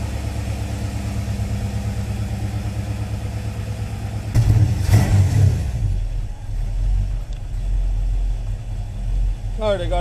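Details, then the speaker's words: 1957 Chevy Bel Air crate V8 after a finished restoration, just started cold: fires right up and holds an even, fast choke high idle with a steady low rumble and no knocks or misses while it warms. "Fire's right up. It's got the choke there to high idle. Let it warm up a little bit."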